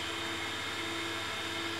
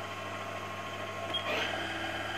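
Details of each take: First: Haas VF1 7,500 RPM spindle after gearbox rework, shifted into high gear at about 5,000 RPM, not fully warmed up, covers off: a steady, smooth high whine with no knocks or grinding, so normal spindle running. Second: Haas VF1 spindle gearbox after gears were taken out and polished, low gear at roughly 500–1200 RPM: a steady high-pitched gear-mesh whine with a low hum under it, still present but noticeably quieter than before polishing.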